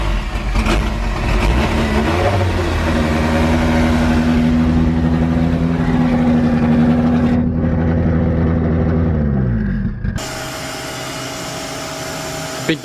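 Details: Forged Toyota 5E-FE rebuilt engine with big camshafts, first start-up with a hollow dummy gearbox and a stress-cracked flywheel; strong even idle rising smoothly with each throttle blip and settling cleanly, loud but healthy.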